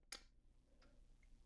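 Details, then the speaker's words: New Zoeller M267 basement sewage ejector pump, replacing one that stopped triggering properly: one sharp, clean click as the float switch snaps over; normal float switch operation. "You can see here, this is the switch. So when the water level rises, you'll hear this"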